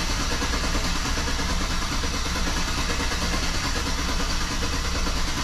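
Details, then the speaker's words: GM 5.3 V8 Chevrolet Tahoe after oil pan, timing chain and Melling oil pump replacement: cranking in clear-flood mode (accelerator floored, ignition and fuel disabled) to prime oil filter and pump; steady, fast starter churn with even compression pulses, never fires, as intended. "so we're going to hold the accelerator pedal all the way to the floor and stopping the engine see how it shouldn't start just cranks and cranks and cranks"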